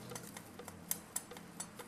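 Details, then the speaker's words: Clutch discs from a disassembled 700R4/4L60 automatic transmission in a Suburban that lost reverse: light, uneven ticking and clicking as the disc is pressed and rocks on a flat surface; warped, contacting only at the edge. "That's warped. And when they warp like that, they only make contact on the edge. They don't put flat contact on the discs."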